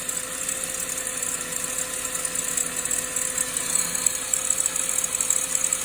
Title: SAAB 9-5 B205E rattling noise from belt/timing chain area